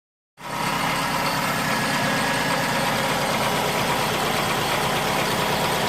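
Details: 2005 Mazda 6 2.3 four-cylinder, 210,000, oil changed every 5k and full, noise unchanged when pulling each plug, getting louder over 3.5-4k: deep regular knock following engine speed; rod knock, car scrapped.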